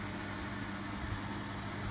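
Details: Beko 8101 E washing machine after replacing the drum bearing group that had been noisy: steady, low, even running hum with no grinding or rumble.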